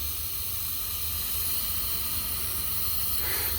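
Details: 2020 Harley M8 engine, 35k km, leak-down test on cylinder 5 at TDC (low compression earlier), 90 psi in, 23% leakage: steady hiss loudest at the intake side, exhaust faint, pointing to an intake valve not sealing.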